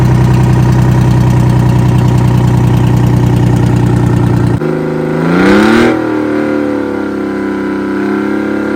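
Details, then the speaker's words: Off-road 6x6 Kenworth/RFW garbage truck, two-stroke Detroit 6-53 diesel with Allison automatic, revived after sitting about four years: deep, even rumble at idle, quick rev climbs and settles cleanly, no misses; engine runs well, brakes release, forward and reverse engage. "Well, the brakes are releasing and it's going into forward and reverse gear quite okay. The motor's also running quite well."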